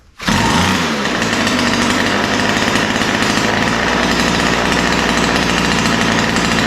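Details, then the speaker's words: Ryobi two-stroke line trimmer after opening lean idle and high-speed mixture screws and setting low-speed needle slightly rich: crisp buzz starting and holding steady speed, no stumbling or surging. Normal running. "yeah so that's what I like to see it sounds pretty good right now"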